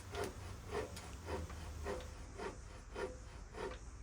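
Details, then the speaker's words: Road bike restoration, headset reinstalled on old bearings after cleaning and removing locating-nub washer: slow rough rasping grind about twice a second as the bars turn; headset bearings badly worn and pitted, still steers; loose-ball replacement considered. "Well, it ain't pretty, but it's gonna steer. So those headset bearings were in pretty bad shape."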